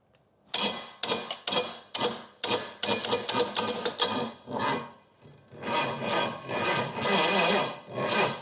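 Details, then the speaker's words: Used Pontiac 455 V8 with low compression and tight, HEI distributor, timed by intake valve, new plugs: uneven cranking with scattered pops and chuffs, never catches; weird combustion noises, cause suspected, not confirmed. "I hear weird sounds like combustion going where it's not supposed to. Wonder, I mean, the timing chain has to be there."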